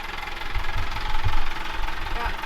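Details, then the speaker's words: Sailboat diesel engine at anchor, idling: engaging the gear brings heavy low thumps, irregular knocking and shaking that disappear when revved; knock and shaking when gear is engaged at idle, source unclear. "Vamos a demostrarlo ahora: cuando pisamos el embrague, se oye un golpe fuerte en el motor y empieza a dar saltos. Y en cuanto Marion o yo aceleramos, vuelve a desaparecer."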